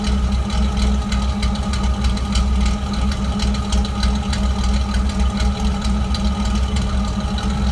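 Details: Uneven idle with a lumpy low beat and irregular stumbles, a steady misfire with no clear mechanical knock. Disconnecting and reconnecting the MAF sensor makes no difference.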